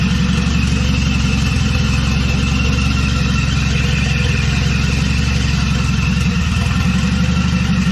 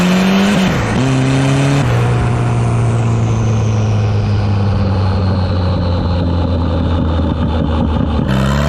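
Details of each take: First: 200-dollar wagon, first start after installing a GMC Typhoon/Syclone turbocharger, oil primed by cranking first: starts easily, smooth even idle and clean revs with no ticks, knocks or rattles, running healthy. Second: Wagon with GMC Typhoon/Syclone turbocharger upgrade, boost controller turned up; engine pulls hard with climbing pitch then power cuts abruptly as boost overshoots: boost fuel cut.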